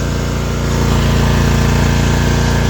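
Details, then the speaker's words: Zero-turn riding mower that would not crank, started by jumping around a failed starter solenoid with a portable jump starter as a temporary fix: small engine runs at an even steady pace, low smooth beat, no misses; normal running. "the engine has a spark and now your mower starts. This is a temporary fix until you can get a solenoid put in or put one in yourself."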